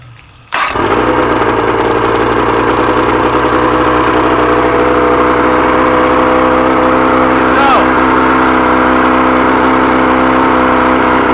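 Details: 100 hp outboard, carbs rebuilt elsewhere, never ran right since; compression and spark good on all cylinders: fires up fast, stays high and uneven, won't idle; found stripped carb screw threads, missing lock washer, old gaskets.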